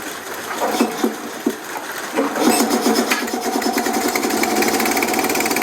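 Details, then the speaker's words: Small single-cylinder engine, apparently the compressor engine, running on a spark plug borrowed from a Harley after a dead plug; the plug came out a bit black, possibly some water. It settles into a steady, even chug with no misfire. "It sounds like your Harley too. It does, doesn't it?"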